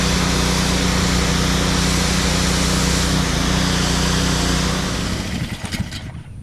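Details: Blackmax pressure washer with Honda GCV engine after repairing a fuel problem (spark good): steady, even buzz holding constant speed, then winds down cleanly when shut off; normal running.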